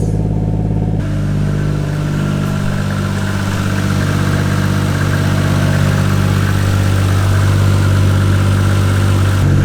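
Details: 1JZ VVT-i engine swapped into an MK3 Supra, first start in weeks after fitting a new MK4 fuel pump, no coolant in yet, short run to check for fuel leaks: smooth even idle with no misses or knocks.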